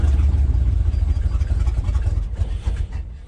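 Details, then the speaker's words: 1972 GMC ramp truck, 454 Chevy big-block, long-sat, cold: deep uneven rumble sags and fades as the throttle comes off, won't hold idle and dies; cause unconfirmed. "Think she's gonna idle? I doubt it."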